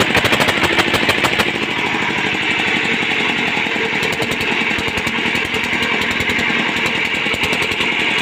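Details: Hand-cranked single-cylinder diesel being repaired, with a new liner fitted and fuel reaching the pump: it runs with a steady, quick thumping beat at even speed and no misses or knocks, sounding healthy.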